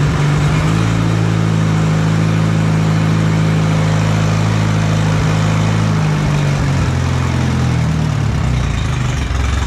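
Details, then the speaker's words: Allis Chalmers B tractor gas engine, running after a long repair, with oil pressure and after a throttle check. A steady, low, even idle with a firm beat and only a slight speed dip. Normal idle. "all right a couple more little things to do but we got the motor running and that is a big one"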